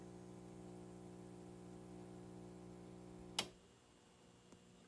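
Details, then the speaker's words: APC SMX UPS on a variac test: as input drops from a high 147 V to about 135 V, a steady electrical hum ends in one sharp relay click and goes quieter, cutting cleanly from battery back to AVR mode with the output held at a steady 120 V. "It cuts back into AVR mode. So that's basically the internal electronics, not on battery, is compensating to provide an output, a rock steady 120."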